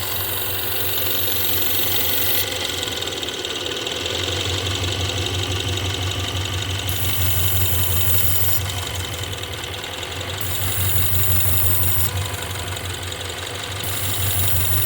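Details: 2016 Ford Mustang 2.3L EcoBoost, 128,572 miles, after a replacement engine installed elsewhere: idle thumps unevenly about three beats a second with stumbling lope and heavy shake, flashing check engine light for misfire; reused intake and turbo, cracked turbo pipe; cause not confirmed.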